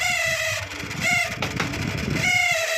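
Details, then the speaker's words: Microwave oven fan motor, run with magnetron transformer disconnected: wavering whine that comes and goes, pitch sagging as fan speed drops; worn fan motor bushing dragging. "दोस्तों यहां ये fancy आवाज आ रही है तो दोस्तों मैं फैन को इसको बाहर निकाल लेता हूं फ इसको हम करते हैं रिपेयर फैन को इसकी स्पीड भी कम हो जाती है जब य न आती है ना तो इसकी स्पीड भी कम हो जाती है"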